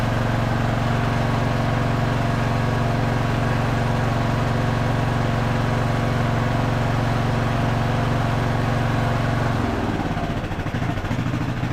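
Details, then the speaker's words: Craftsman LT1000 riding mower after a carburetor rebuild, now with the air filter fitted but running without the upper cooling shroud and not yet fully tuned. It gives a steady, even low putter without misses, hunting or surging, with a brief shift near the end; normal idle. "It should run a little bit better too with the air filter and having the correct suction on the carburetor."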